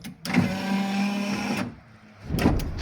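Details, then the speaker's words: Daewoo Nexia 2 power window after being modified to run faster: steady motor whine for about 1.5 seconds as the glass travels, then a clean stop; window motor works well. "Bugun Nexia 2mizni oynalarini tezlashtirib berganmiz. Hop, buni ishlatib ko'ramiz. Mana. Ishlashi cho'tki bo'ladi, xudo xolasa."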